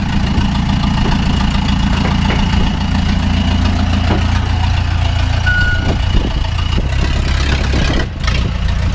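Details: 2000 Ford F150 with swapped Cummins 4BT diesel, no turbo, cold idle: steady, even low diesel clatter with no knock or misfire; engine runs smoothly.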